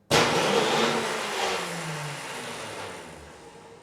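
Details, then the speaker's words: Husqvarna snowblower (model 961950001-01) with Tecumseh LH358SA engine, locked up six years, Bendix gear stuck out: starter motor tested on its own spins with a sharp whir and slowly winds down. No issues with the starter motor. "All right, let's see if the actual motor works. Hit the button. Yeah, so no issues with the motor."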